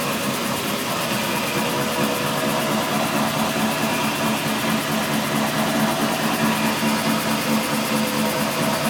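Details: Steady low drone over road noise while rolling, from diff/driveshaft/wheel hub area; tail shaft replaced, diff newly reconditioned, noise with either wheel rolling; owner suspects diff pinion or carrier bearing.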